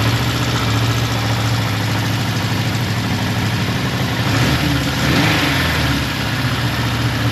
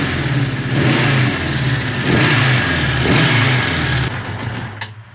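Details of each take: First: Suzuki GS550T, first start after 10–15 years of storage, with ultrasonically cleaned carbs and oil in the cylinders: the engine idles low and lumpy, with an unsteady rhythm, and only keeps running on choke. Idle speed is low and will be adjusted. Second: Suzuki GS550T, engine still cold, first start after 10 years with freshly cleaned carbs: it blips up and settles, firing on all cylinders and pulling cleanly before shutoff. The idle was left as set; normal running.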